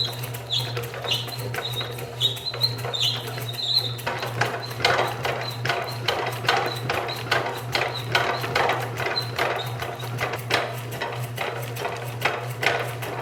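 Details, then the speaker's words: 30 lb Kerrihard power hammer after rebuild, driven by 3/4 hp motor: uneven blows about two per second over steady motor hum, rhythm stumbling under load; motor too weak, replaced with 1.5 hp motor. "ʻĀ, ʻo koʻu loulou nāwaliwali koʻu motika. ʻAʻole lawa ka nui o kaʻu lio 3/4."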